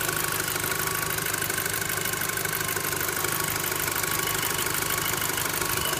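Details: VW Golf 5 GTI petrol engine at idle: steady metallic bell-like ring over a light, uneven tick of about three per second; source not pinned down.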